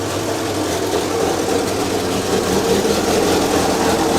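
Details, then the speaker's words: 1932 Morris Minor four-cylinder sidevalve, first run in years, no coolant, little exhaust fitted: a steady idle with a slightly loose, uneven beat and a raw open exhaust; sounds all right. "oops that's not too bad considering there's not much exhaust on it it's all right that sounds all right"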